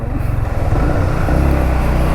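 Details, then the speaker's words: Modified Yamaha MT-15 ridden after repair and servicing: the clutch was loose and is now tight. Engine pulls cleanly through a short rev rise with even firing and no knocks or rattles over road noise; much smoother than before, running normally. "एकदम म्हणजे एकदम smooth झाल्या मागाच्यापेक्षा."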